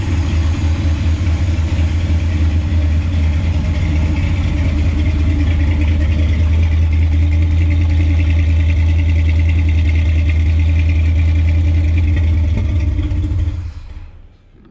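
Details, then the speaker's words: 1968 Chevrolet C20 454 big block, fuel injected, just revived after years: lumpy, uneven idle that drops off, with 80 psi oil pressure, a rich smell and O2 correction of -29; rough idle, likely too rich, cause unclear. "yeah see just doesn't really idle that well don't really know why it smells really rich right now it's probably got something to do with it"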